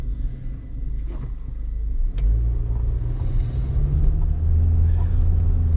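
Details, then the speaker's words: 2015 Toyota Corolla driving after front brake pad replacement: steady low road rumble with no squeal or grinding from the front wheels, earlier brake noise gone; quiet brakes. "if you remember if you heard the um sound from the brakes listen quiet as can be all right guys all right guys we got this thing fixed no more noise"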